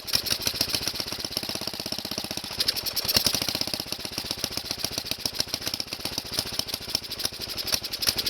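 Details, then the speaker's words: Kohler engine on a tractor, recoil starter just realigned, cold start on last year's gas with some squirted into the intake, choke on: rapid, even popping beat, running steadily with no misses. Normal running after cold start. "That sounds good. I'm going to leave the choke on halfway. That's another good sign."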